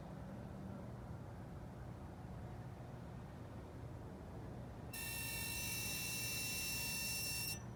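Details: 2016 Dodge Challenger parked in garage after a short drive, key fob intermittently failing; shrill steady high whine for about 2.5 seconds then cuts off, source unknown.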